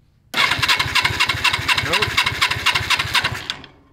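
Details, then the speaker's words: Suzuki GS450 motorcycle engine in a racing lawn mower go-kart, first start attempt: steady fast starter chugging for about three seconds with no firing, no spark. "no spark let me try it again no spark all right so we're gonna have to figure out what is going on with the ignition"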